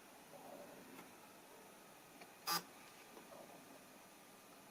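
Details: Tokina AT-X 100mm f/2.8 D macro lens: faint ticks and one sharp mechanical click-buzz; aperture mechanism defective, repaired under warranty.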